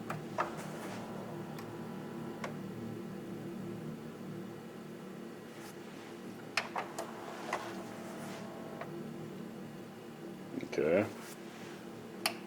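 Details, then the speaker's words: Sony CDP-C445 five-disc CD changer with erratic tray/carousel behavior and load/eject failure, after a power cycle: scattered ticks and clicks, then a motor whir and clunk. The mechanism cycles on its own, possibly a sensor issue, unconfirmed. "so yeah what it's doing is not good uh maybe there's something going on with the uh sensors or whatever see if I can get it to stop its seizure"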